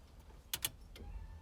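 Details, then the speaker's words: 1991 Foxbody Mustang GT with newly installed Holley Terminator X EFI, key-on: two quick relay clicks then a faint steady whir as the fuel pump primes; normal priming. "I heard it cycle fuel pumps whirring away"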